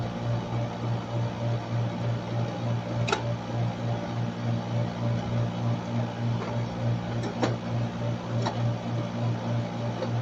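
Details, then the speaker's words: Split-type aircon outdoor unit running normally after replacing a burnt compressor terminal wire: steady low compressor hum, smooth fan, few stray clicks; 8.1 A running current, low-side pressure 50–55, cooling fine. "Okay naman 50 55 running 8.1 amp so do lang nagkakaron ng problema ng wire niya sunog"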